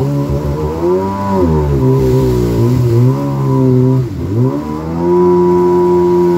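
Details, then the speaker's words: Rebuilt 2000 Yamaha XL800 watercraft with new crank, rods, pistons and rings, rebuilt Mikuni carbs and new impeller: at about 27, near 5000 rpm, the engine note rises and falls unevenly, a surge whose cause is unknown. "i'll go about 27 and i have to let out of the throttle once it hits 5000 it does this surging oh you hear it"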